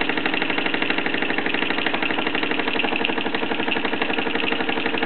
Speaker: Just gradually spinning down now. You can hear the hissing of the safety valve in the background. It makes a very pleasant clanking sound.